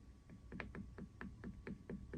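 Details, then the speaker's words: Mountain bike chain hitting a hard plastic chainstay protector fitted with foam pads: soft, dull taps about every quarter second with no sharp metallic clack; the foam damps the chain slap. "the sound is damped. That's the plastic, that's the foam. Damping means less noise."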